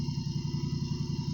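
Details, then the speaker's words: Countax ride-on tractor small engine running after revival, slipping-belt clutch drive: steady chug with a faint constant rubbing hiss underneath from the drive belts, one pulley bearing running a bit dry. "The noise you can hear, that rubbing sound, is actually the belts underneath. One of the pulleys is a bit dry on the bearing, but well, how about that?"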